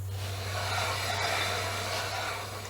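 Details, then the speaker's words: Chevrolet 3500 dually with brake problems, wheels spun on a lift after pumping the brakes: a steady harsh scraping hiss over a low hum. The rear pads are worn through, metal to metal on the rotors; the fronts are still good. "the front ones are okay still in pretty good shape but these back one's wore completely out they're metal to metal"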